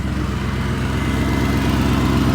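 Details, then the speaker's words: BMW E39 540i V8 after refitting the missing secondary air/EGR pipe, idling with DIY electric fan running: steady, even low rumble with fan rush, no ticks, misses or knocks; engine sounds healthy. "it's not even loud in here the engine sounds perfect now"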